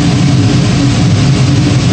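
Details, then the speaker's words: Power gas steam boiler with a new 24" barometric draft regulator on a ganged flue: ignition, then the boiler ramps up to a deep, steady, even roar with no surging or pulsing. Final draft is -0.03 in water column; normal burner firing. "probably in about 30 seconds or less uh you should hear the uh tropper ignition and the boiler ramp up and there we go so responded very nicely"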